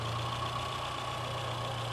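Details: VW A1 with CIS fuel injection, hard starting when cold; steady low idle drone with no clean, even beat, rough idle from a broken frequency valve ground wire, idle improves once the ground is restored.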